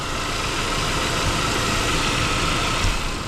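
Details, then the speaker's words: Saab 9-5 Aero after oil leak fix (new crank seal, oil pump O-ring, harmonic balancer) and new alternator and belt: smooth, even low idle hum with no ticking, knocking or belt squeal; sounds as it should, normal idle. "Well, I'm quite delighted that this is what it's actually supposed to sound like."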